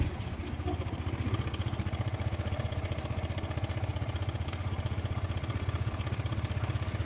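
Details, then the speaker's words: Motorcycle single at idle, crankshaft balancer bearing first suspected and ruled out: a busy metallic rattle about four beats a second with a click as it stops; a minor fault said to need an engine teardown. "suaranya mengerikan teman-teman ini suaranya bisa halus halus Kalau berhenti bunyi klek gitu teman-teman jadi punya kasar kayak gini kalau berhenti bunyi ceklek gitu"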